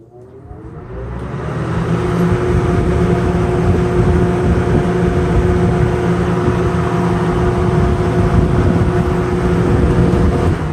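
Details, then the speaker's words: Sears Lasko 453-81310 20" box fan, plastic motor, not yet oiled or serviced, restarted after a spin-down: motor spins up over about two seconds, then settles to a steady whir with a soft hum, no rubbing or rattle; runs normally. "not bad spin down let's go ahead and fire it up again so the thermostat works"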